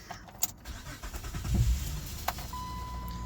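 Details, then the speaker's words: Honda 3.5 J35 V6 after timing belt kit and water pump replacement: short crank, quick start, quiet even idle, belt spinning fine, no pinging or crackling, no ticking or rattle; runs much better than before, cooling system still to be purged. "belt spinnin fine there's no pinging there's no crackling there's no explosions sounds like a good job"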